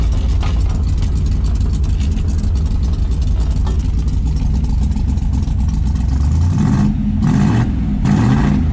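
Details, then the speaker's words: Dodge Dart, carbureted, after conversion to electronic ignition: rough, deep engine runs steadily, then three quick blips rising and falling cleanly with no misfire; normal free revving. "i hate to admit it but it's running better than it ever did before i mean i could hit 7000 rpm without trying once we get past the carburetor"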